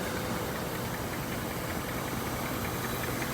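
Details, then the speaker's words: 1967 Rolls-Royce Silver Shadow, just back from the shop, warmed up: soft, even idle with a steady low hum and no misses or knocks; normal warm idle. "Look at how this thing's purring though now. It's nice and warmed up."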